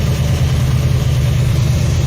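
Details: 1974 Nova 454 big-block (7.4L) V8 with Edelbrock Performer intake, over 37,000 miles, just after a cold start: deep, steady idle with an even low beat, no ticks or misses; healthy engine, nothing wrong.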